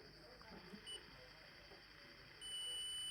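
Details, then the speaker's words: Original Lenovo 2-pin laptop charger cable tested with multimeter in continuity mode: steady high beep holds, so the cable's two conductors are shorted internally along its length. "So that is behaving like a wire. That means this thing is shorted within."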